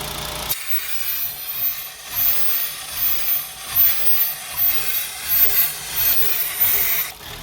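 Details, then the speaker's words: 2007 VW Jetta 2.5 at idle, P2279 and random misfires cylinders 1, 3, 5: very rough surging idle with loud high-pitched whistle when a hose is uncovered; ripped diaphragm vacuum leak, smooth when blocked by thumb. "now listen again when i let this go the rough idle and that really high-pitched whistle"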